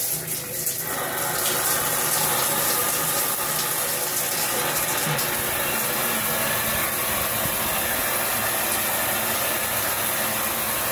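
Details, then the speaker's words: Shower panel at full flow with very high water pressure, rainfall head also dripping: steady loud hissing rush of water with constant roar, quieter at lower flow; loud water flow noise. "I'm going to turn it on for you hear how loud it is let's see that's on full-blast and actually is not as loud when it's on less than full blast"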